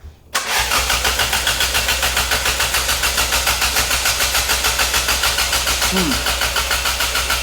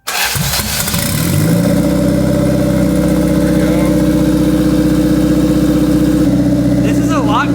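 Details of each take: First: Turbocharged 1991 Toyota Corolla with cold start injector and wideband; stopped running during teardown. Even starter cranking for about seven seconds, never firing: crank no start. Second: 1991 Toyota Corolla turbo build, no-start traced to missing power to ECU and fuel pump, relays jumpered: brief crank, then it catches at once and settles into a steady, even fast idle with no stumbling; starts and runs properly.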